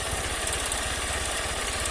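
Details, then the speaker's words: Honda CG 160 Fan motorcycle with 6,000 km, bought new, on its first cold start of the day: fast, even tapping over the single's idle. It fades as oil lubricates the engine and does not return on later starts. "ó já tá parando já ó começou a lubrificar moto já tá parando mas ela só ela só fazia isso só na primeira partida do dia"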